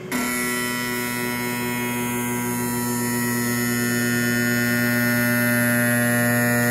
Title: sparx sharpener noisy sound